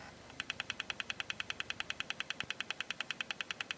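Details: Very old laptop hard drive connected through a drive adapter, vibrating strongly: sharp, evenly spaced ticks about eight per second over a faint hum; the drive is clicking.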